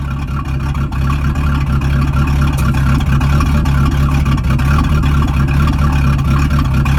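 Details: Boat sterndrive engine at startup, its first start in three weeks: a deep, steady V8 rumble with an even beat and no knocks or grinding from the drive; runs healthy.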